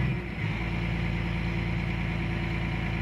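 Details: CAT 345 excavator with error code 36-268-2, intermittent up-and-down engine speed: after ECM speed calibration, set to high idle, the low even diesel idle steps down once, then holds steady and smooth. Normal idle.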